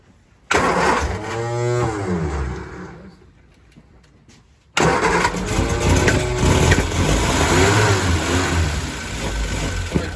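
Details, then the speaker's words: 1966 Triumph Spitfire Mk II, cranked on choke: engine catches, revs briefly, sags and dies within seconds, then restarts rough; stalls when throttle applied, throttle linkage giving only half throttle, timing and carbs also suspect. "choke but no gas choke but no gas God God gas seems to be killing it"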